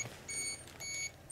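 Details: Repeated shrill electronic beeps, about half a second on with short gaps, in a Chernobyl hospital basement full of highly contaminated clothing, readings in thousands of counts per second; dosimeter signalling overflow alarm.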